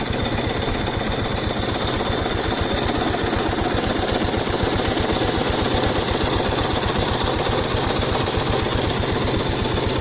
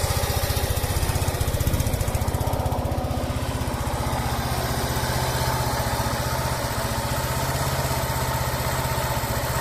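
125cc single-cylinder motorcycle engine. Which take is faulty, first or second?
first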